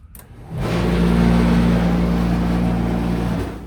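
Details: ASKO dryer running on auto normal, customer complaint of vibration: loud, steady droning hum with a vibrating edge, caused by lint buildup clogging the blower fan.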